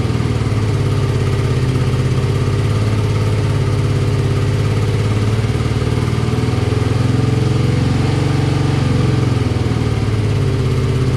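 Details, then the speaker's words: Circa 1983–84 BMW R65 twin with partial choke: even, low, steady idle for eleven seconds, no clunks or knocks; some left-side smoke noted; engine judged healthy. "But the fact that it ran and idled and was smooth and, you know, didn't have any crazy clunks or anything is exactly what I was looking for."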